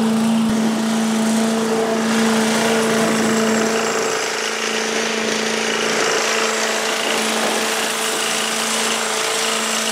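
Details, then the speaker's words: 1985 Billy Goat leaf blower, Briggs & Stratton 8 HP, after new spark plug, oil change, air filter and replacement gas tank: steady even drone with constant tone, no misses or surging; normal running. "now started pretty easily and uh blows the leaves around pretty good so I could just make my way right on out to the curb"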